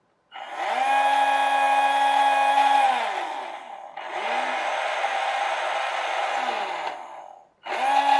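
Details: RNLI Severn Class RC lifeboat by Zappies, drive motors on a large 3S LiPo via adapter (owner fears ESCs may overheat): each burst spins up to a clean steady high whine, holds a couple of seconds and winds down; motors sound healthy.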